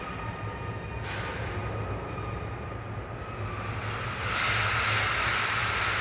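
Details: Nissan Patrol 4500 on cold start with morning white smoke; idle thrums unevenly with a rhythmic stumble about three a second, a misfire traced to low compression on cylinder 3 after overheating, needing the head removed and resurfaced.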